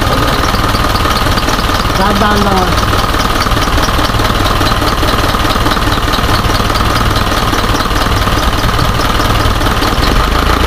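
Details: Isuzu 4HJ1 diesel with low power and hard starting: idle with an uneven, lumpy beat and a loose knock that never settles; rough idle, cause suspected but not confirmed.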